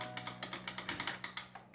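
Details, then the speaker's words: Electrolux 8 kg washing machine that was overflowing, reassembled with the glass lid: crisp rapid clicks as the lid lever strikes the on/off lid switch tab, a normal lid switch sound. "Agora vocês vão ver que tá batendo lá naquela palhetinha que eu falei aqui lá de liga e desliga, ó."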